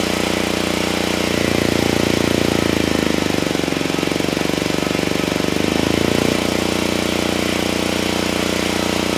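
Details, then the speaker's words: Generac GP7500E generator load test after fuel system cleanup: steady drone sags and roughens for seconds under heavy load, then recovers; held 60 Hz at 3000 W but couldn't carry 6000 or 5000 W; engine down on horsepower, cause unconfirmed. "I had to shut it down the engine is definitely definitely down on horsepower it had no issues pulling 3000 Watts it was holding right at 60 hertz I then tried to double it to 6000 watts and it couldn't do it"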